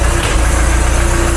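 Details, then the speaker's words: Mk3 Ford Cortina GXL 2.0 automatic after restoration, normal idle before reaching temperature: deep, steady idle with an even low thrum, no knocking or tapping, much quieter than before; burning off oil. "Well, that sounds cool. That's a lot quieter."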